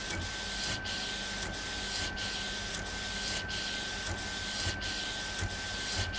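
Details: Epson Stylus Pro 4880 textile printer, first run after repair: steady hiss and whir, carriage reversing about every two-thirds of a second in an even pattern; normal printing.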